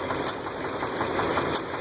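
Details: 2001 Dodge Ram V10 8.0L idling with a fast light tick and an occasional heavier knock; the stethoscope puts it on the passenger (right) side, and the cause is a broken rocker arm bolt letting the pushrod come free, a problem these engines may have.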